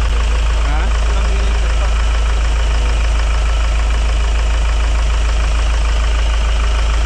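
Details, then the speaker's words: Hyundai Starex diesel after its grinding noise was fixed: a steady, even idle with a smooth low drone and no grinding or humming left. Normal idle. "Ayun oh pinik na yun solve na ang ingay mga boss wala na yung masakit sa tenga na umuugong o grinding sounds"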